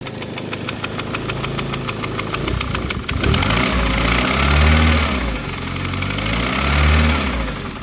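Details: Car after dyno failure, run briefly on minimal fuel just to demonstrate the noise: rough, lumpy, rich running with sharp tapping about 2.5 times a second, fading as revs rise; knock of unclear cause, compression test to follow.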